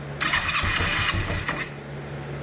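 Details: 2005 Kawasaki Ninja 500R sitting 10 years, carbs rebuilt, first startup on boosted battery: catches about a second and a half with a ragged revving burst then dies; won't keep running, idle being adjusted.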